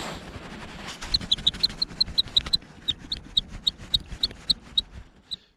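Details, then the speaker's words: Cube Stereo Hybrid E-MTB: sharp high plastic squeaks, about four per second, with each wiggle of the GoPro holder. The loose mount has play and rubs; the squeak was traced to the mount, not the bike. "also habe ich die Aufnahme gestartet hin und her gewackelt und höre da ich blende es euch mal kurz ein äh da quietscht hier irgendwas an der Halterung"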